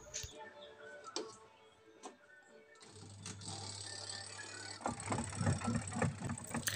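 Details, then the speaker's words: LG twin-tub washing machine spin dryer after repair: the brake cord had come loose because its handle broke, and it was tied back with a cable tie. Low steady motor hum as the drum spins up smoothly and fast; spin works normally, motor fine. "kita Perbaiki pada bagian tali remnya ternyata pada bagian Spin mau berputar normal Ya ini mau kencang"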